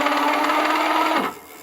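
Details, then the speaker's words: Richbit electric fat bike hub motor under throttle and pedal assist: steady mid-pitched whirring hum with a rough edge, winding down as it stops; power is lower than before and something inside the motor hinders the wheel; cause not found. "The sound which you hear comes from somewhere within here in the motor."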